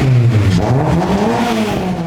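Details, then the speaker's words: Honda Civic build, previously straight-piped and extremely loud, now fitted with an exhaust: engine revs up and settles with a smooth, moderate, well-muffled note rising and falling evenly with throttle; much tamer, healthy. "Oh, yeah. Much tamer, I like that. Let's hear something. More."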